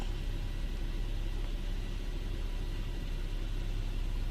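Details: Infiniti G37/G35/Q40 V6 after spark plug replacement and the throttle/idle relearn procedure: a steady, low, even rumble with no misfire or ticking, settling into a smooth, stable, normal idle.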